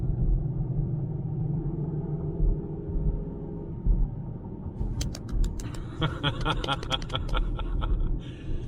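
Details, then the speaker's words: 2013 Ford Edge Limited AWD on test drive after rear axle replacement: even low road rumble, no growl from the rear, turn signal ticking; rear axle and wheel bearings now normal and quiet. "no more noise no more growling stuff back there"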